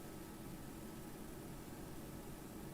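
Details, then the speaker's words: Amplifier on the bench, mic right at the speaker after a power cycle with no signal present: a very faint, even hiss with slight low hum, its own noise floor; a more sensitive bullet tweeter might reveal more. "Very, very faint amount of noise. With a bullet tweeter, that might be more sensitive."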